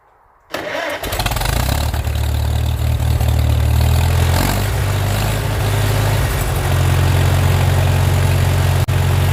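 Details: 1940 Farmall M four-cylinder tractor, first start after three months unused in winter, battery trickle-charged, Sea Foam in tank: starter cranks briefly, engine catches and settles into a steady, even low idle with no misses or knocks; normal cold start.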